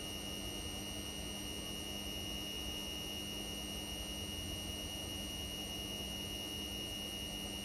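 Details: Indesit Innex XWSC61252 washing machine, brought in for not draining, on spin test after repair: even, steady hum at constant tone, no scraping or thumping; speed dipped noticeably when the high-speed motor coil engaged, cause unknown; spinning smoothly.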